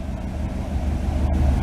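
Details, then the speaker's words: Car after MSD distributor repair (failed control module), a little cold, timing advanced: short, low, steady idle with an even exhaust beat, no puffing or stumbling as before timing adjustment; running smoothly. "Fires right up. Running nice. Now adjust the timing back up. Nice and smooth."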